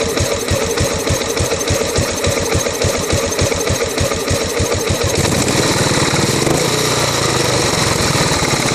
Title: 2008 buell blast rough idle